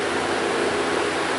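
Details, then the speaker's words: 2006 Mazda 6 V6, key on, engine off: a loud, constant rushing roar of the cooling fans at full speed while the PCM commands them off at 0 volts, so the fan control module is suspected bad; the fans stop only after a delay once the key is off. "sounds like thing's getting ready to take off but you can you can hear this thing has kind of a mind of its own this just key on engine off right"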